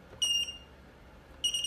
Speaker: Beep beep beep. This is a self-assembled one.